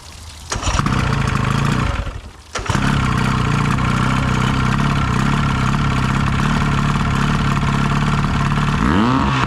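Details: Fishing boat outboard not run in at least 3 years, fed from an auxiliary fuel tank after draining the carburetor line past the fuel pump: catches, dips briefly around two seconds, then steadies to an even run; running properly.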